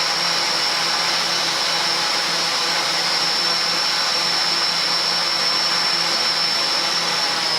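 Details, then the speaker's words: Litehawk Quattro model at full throttle, after break-in and readjustment of two pinions that were set too high: a steady, even high-pitched gear whine with no grinding. The noise is about 95% cured. "needed to be broken in, and also I had to readjust those two pinions, and they weren't really that noticeably out. And now it runs really good. Full throttle."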